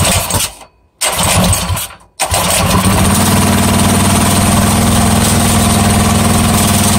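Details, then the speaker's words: Coleman CT100U minibike with swapped 212cc engine and new header exhaust replacing side pipe, test run: two pull attempts, then fires and holds steady even single-cylinder putter at idle; normal idle. "oh yay and that's what that new little badass sound plate or sad pipe sounds like it's a [ __ ] beast sounds better than than this one man"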